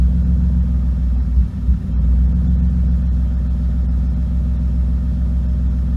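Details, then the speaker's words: BMW E36 at idle: rumbles unevenly and stumbles briefly, an intermittent misfire. The owner suspects the spark plugs but is not sure, and an OBD1 scanner is needed. Cause not confirmed. "Yeah, it definitely sounds like a misfire of some sort."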